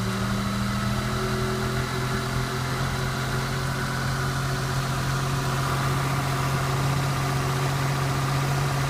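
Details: 1991 Toyota Camry under load: a deep engine note with a dull low knock, a suspected rod or bearing knock; a stethoscope places it more at the bottom end than at the top of cylinder 2, and the oil pan comes off next.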